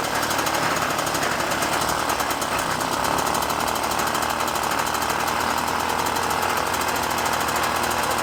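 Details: Puch Maxi moped, 50cc two-stroke, after O-ring fitted between carb and intake: loud even rapid buzz holding steady, no surging or hunting; normal running.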